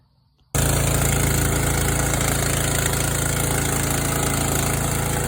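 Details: Yard Machines tractor with 14 hp engine from a scrapyard, valves set to 4 and 6, new steel flywheel key after sheared keys; catches at once and settles into steady, even thump, no misses or knocks; running normally.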